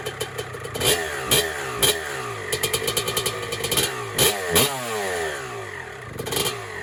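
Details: 1996 Honda CR250 two-stroke, first kick-start on a build, 93-octane pump gas, choke off: crisp crackle blipping up and down cleanly, loud raspy exhaust from a cracked pipe; runs healthy.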